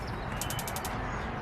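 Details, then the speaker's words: AZ Patio HLDS01-WGTSS patio heater after replacing the faulty AA-battery spark igniter: quick burst of six sharp, evenly spaced snapping ticks in under half a second, igniter firing properly before lighting the pilot. "that sounds like it's working. Let's hit the pilot button and see what we got."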